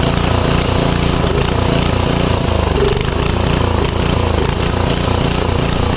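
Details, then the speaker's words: 5 HP Briggs & Stratton on an MTD rototiller after carb cleaning, started without choke or prime: loud, low, uneven chugging hunting up and down, a surge suggesting unsteady fuel delivery. Almost idles well off throttle. Cause suspected, not confirmed. "But um yeah, it runs, but it's surging. It almost idles pretty good when I got off the throttle."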